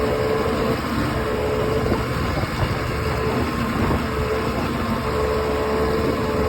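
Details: OX66 outboard running steady with a harsh grinding texture under the motor note, faintly coming and going; spark plug change stopped it only briefly, compression excellent, prop not slipping, source unknown.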